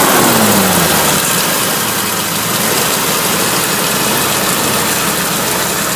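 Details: 1961 Willys Jeep CJ5 with 1957 Chevy 283 V8, manual choke, idle set slightly high for winter warm-up: steady, even raised idle with no knocks or rattles; healthy and smooth.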